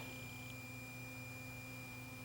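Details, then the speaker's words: JVC GY-DV500 professional camcorder (2000) powered up on mains to load tape: thin steady high caution warning tone over low hum; owner suspects infrared light from a nearby lamp triggered the caution. "What did I just get? I hear something going on here. I have a caution."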